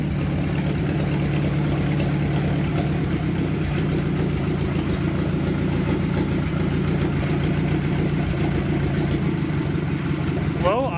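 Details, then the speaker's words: Old tractor, locked-up engine freed, started in sub-freezing cold: slow lumpy uneven idle with a deep low thrum close to stalling; idle speed set too low. "idle gang. Nope. Too low."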